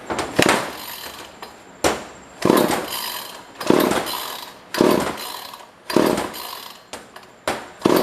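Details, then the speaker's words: Pre-1990s chainsaw bought from a neighbor, no primer, no air filter fitted: repeated rope pulls, each a short rasping spin of about a second, never firing; cranks but won't start, spark check planned, fuel appears to reach it. "Yeah, I don't see that running, and I don't see a... Oh, I wonder if it wants to be throttled."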